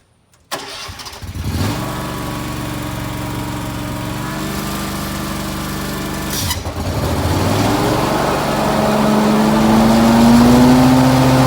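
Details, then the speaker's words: Riding mower with a 52-inch deck fitted with a Ballard X-Blades bracket and ripper/zipper blades: the small engine starts and idles evenly, then the blades engage. A louder, rising winding whine builds with throttle, which is normal for these blades. "I also want to start it up for you guys so you can actually hear the sound that these blades create. A little bit louder, kind of like a winding sound."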